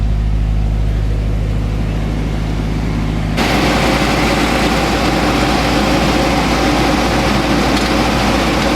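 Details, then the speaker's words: 1985 GMC S15 2.5 four-cylinder, 31,000 on the odometer, straight-piped after removing a plugged catalytic converter, suspected head gasket issue: loud raw idle staying fast; owner suspects the idle control valve, unconfirmed. "It does run a little high idle, so I may have to go in there and fix the auto control valve for that."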